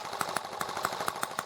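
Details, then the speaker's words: Small engine with ET8 carburetor, high-speed needle returned to where it was: it runs nicer on a slow throttle opening but lopes with soft uneven pops about five a second as the throttle closes, running rich. "it ran a little nicer on that slow open but as i close it off you can tell it's running a little rich"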